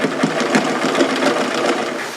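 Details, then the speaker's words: Older mechanical sewing machine mid-sewing, with a fast, loud clatter of needle and linkage. This is typical of older mechanical machines; it is working normally. "It's a little loud, and that's typical of older sewing machines. They're mechanical."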